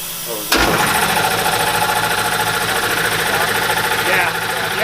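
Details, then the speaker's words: Old shop air compressor kicking on abruptly with a harsh, loud clattering roar and hiss, so loud you must almost yell to converse even with insulation around it; being replaced with a quieter unit. "You have to almost yell to be able to be able to have a conversation with someone. And even the insulation didn't help that much with doing it."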